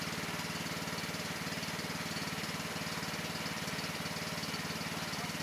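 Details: Cub Cadet XT1 LT42 Intellipower riding mower at its first maintenance. Smooth, even engine putter at a steady speed with no misses or knocks; running normally.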